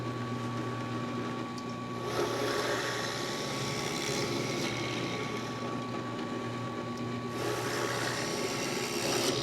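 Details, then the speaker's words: Ryobi 10" tabletop drill press, 1/4 HP induction motor, five speeds (620-3100), drilling wood on a solid work surface: steady motor hum with a coarse rasp as the bit bites, no rattle or chatter; sounds better than on thin plywood, runs normally. "You can definitely tell how much better that sounds on a solid work surface compared to a piece of thin plywood."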